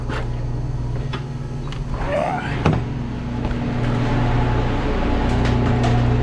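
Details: Walk-in freezer running after the temperature control was swapped, power back on with the box at about 30 °F. Steady low hum under handling clatter: normal running while pulling down to set temperature.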